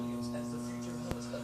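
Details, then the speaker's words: 1800 W microwave oven transformer salvaged from a thrift-store microwave, plugged in with no load: an even, unchanging low mains hum with no rattle or crackle, a normal healthy unloaded transformer. "let's uh plug it in really quick and give her a listen see what she sounds like with uh no load or anything just uh huming cuz that's a good sound"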